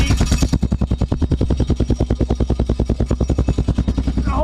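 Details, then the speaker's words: Yamaha Rhino 660 UTV exhaust: fast, even chuffing pulses around three per second, with a tinny rattle riding each beat. Owner hoped it was a loose spark arrestor, but the muffler is rusted out inside. "next item on the list the exhaust rattle so i originally had hoped it might have been uh just a spark arrestor rattling around in there but [Music]"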